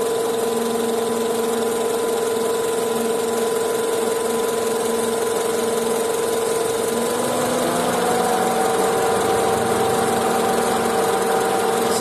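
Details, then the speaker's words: Honda CR-V at idle, noise traced under the raised car with a stethoscope: a faint, steady whirring whine over an even idle. Worn belt tensioner pulley bearing. "现在我已经听出来，感觉是这个皮的轮这里，或者是粘紧轮有响声。"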